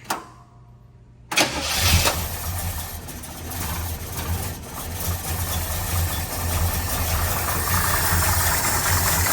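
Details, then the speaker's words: 1972 Chevrolet Nova V8, Holley carburetor at baseline idle settings with the choke adjusted: cranks, catches and settles into a loose, slightly uneven idle. It is running rich and needs the idle mixture leaned. "So, we definitely need to work on our mixture. Go ahead and turn the key off."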